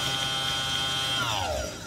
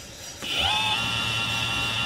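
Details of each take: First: Electric motor on a Tomos moped electric conversion, spun at high speed: strong, steady high-pitched whine that falls smoothly as it spins down; whine occurs only at high speed, owner guesses it's okay. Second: Tomos moped electric conversion, newly wired motor tested at slowest speed setting: spins up to steady even whine with low hum, holds speed then winds down; runs smoothly, normal.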